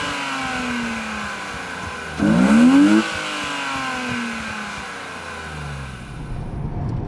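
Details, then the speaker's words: BMW 320i E36 with M50B20 inline-six, stock apart from a new intake filter, ex-automatic now manual: steady idle, then one quick blip rising and falling smoothly and settling back evenly; healthy, clean-revving engine. "c'est le moment pour un dernier petit aménagement avec un filtre qui devrait aider l'admission à se faire entendre un peu plus clairement."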